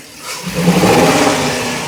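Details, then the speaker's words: 2017 Ford E450 with 6.2 gasoline engine, diagnosed with a cylinder 3 misfire: the engine revs up hard and sounds strained and uneven through the rise. A misfire is suspected, with codes to be checked by scan tool. "Así un poco de forzado puede ser que tenga un m fire ahorita voy a aar con la computadora a ver qué código tiene"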